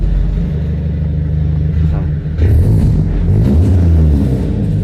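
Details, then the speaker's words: BMW E46 rescued from scrapyard, roughly 300,000 on the clock, black oil, with sporty exhaust fitted, still popping a little: engine picks up cleanly through throttle blips with an even, steady beat; runs well, normal running. "Yeah, it runs well, you know."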